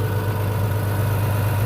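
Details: International 756 tractor started after sitting two years in a shed: deep, even idle rumble with steady beat and no knocks or misses; engine running cleanly.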